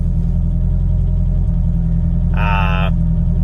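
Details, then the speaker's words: Toyota TE72 wagon with 4A-GE 20V swap, new driveway-built exhaust, cruising: steady deep boom under the engine, no knocks or rattles; quieter than before but droning, owner may add a mid resonator. "as quiet as I'd like definitely kind of droney and uh really I just wanted the exhaust to almost be like stock car quiet so might add a resonator here in the middle"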